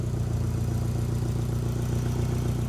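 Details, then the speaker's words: Toyota MR2 after turbo upgrade, new ECU, water-to-air intercooler, coils, injectors and fuel system: steady idle with quick regular puffing tick over the low rumble; exhaust leak suspected from loose or ill-fitting joint, not confirmed. "Sounds like it's got a leak. Got an exhaust leak. I either forgot to do something up or it just doesn't fit."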